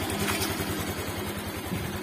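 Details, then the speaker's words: Honda Vario 125 (new model) after engine rebuild (new piston; engine internals were dirty), brought in for failed starting: smooth, steady idle with no knock or rattle; no white exhaust smoke, normal idle. "Dan suaranya halus bosku, suaranya bosku ya, halus ya."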